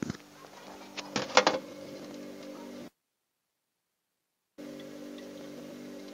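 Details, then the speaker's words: Polytron refrigerator after clearing a blockage and adjusting the refrigerant charge without a vacuum pump, now confirmed cold inside: a steady low hum with even tones, a few clicks and a brief dropout, no rattles or gurgling. Running normally. "Oke guys, dingin sudah ini, sudah pasti dingin ini."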